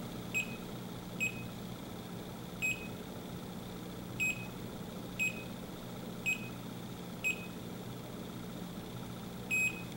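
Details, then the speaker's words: Bacharach Informant 2 leak detector on an HFC reference leak: slow, uneven high chirps, about eight in ten seconds, never speeding up into a fast alarm; hardly picks up the HFC, hard to tell from nuisance ticking. "that his backrack really not even picking up the hfc at all it's hard to distinguish is it picking it up or is it just doing a nuisance"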